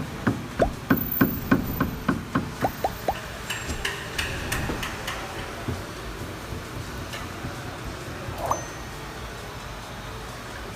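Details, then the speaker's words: Hyundai HB20 new generation: sharp, irregular bursts of knocks as the steering is worked, from a steering rack rusted inside by moisture after its sealing retainer failed; the rack cannot be repaired and must be replaced. "Esse ruído ocorre devido a um defeito no retentor de vedação da caixa de direção. E uma vez que não tem mais essa vedação, acaba enferrujando a caixa de direção, com a entrada de umidade."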